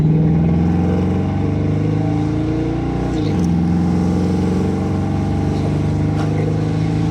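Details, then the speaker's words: 1972 Mustang convertible, 351 Cleveland V8 with new Edelbrock 4-barrel intake, headers, 2.5-inch exhaust and Black Widow mufflers, on road: deep even rumble pulling smoothly at moderate, not full, throttle, firing on all eight; idle set too high. "That was not floored. Yeah, that runs on all 8. That's not running bad."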